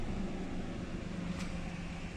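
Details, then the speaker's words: 2010 Ford Explorer after repairing electronic throttle body motor wiring (codes P2100/P2104/P2107/P2110; earlier misfiring, hunting rpm, no acceleration): low, even hum at about 700–800 rpm with no stumbles or misfire; normal stable idle. "कि आपके सामने है गाड़ी stable जरा भी meeting नहीं है"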